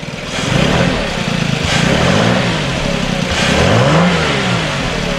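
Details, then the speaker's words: 2006 VW Passat, bought with a low oil pressure light and suspected timing chains, revved: the engine climbs and falls through several clean revs with no knocking or chain rattle, and no longer makes the earlier loud noises. Normal revving. "Okay guys, she's idling perfect, and we're gonna give it some gas and show you that it's not making the noises it was making before, the loud ones."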